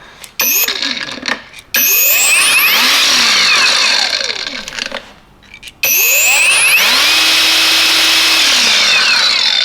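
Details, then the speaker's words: Knockoff "Makita" 18V brushless cordless grinder, first power-up with no guard or disc fitted: a clean whine climbs fast to a high steady pitch ("UFO taking off"), then winds down; healthy free spin. "did you hear that why not sound like ufo taking off"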